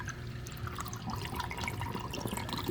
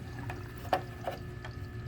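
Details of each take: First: DIY 20-gallon sump under 75-gallon aquarium, drain without net: continuous loud splashing, gurgling and dripping as water guzzles down the drain pipe, air-sucking flow; fixed by setting a small net in the drain. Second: DIY 20-gallon sump under 75-gallon aquarium, after placing a broken net in the drain: only soft low trickle with faint occasional ticks, no gurgling or slurping; drain noise instantly gone.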